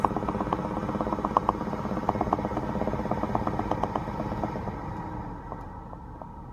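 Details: 2016 BMW X5 F15 at quiet idle: quick uneven mid-pitch ticks and pops fading after a few seconds; bubbling/popping noise, cause unclear.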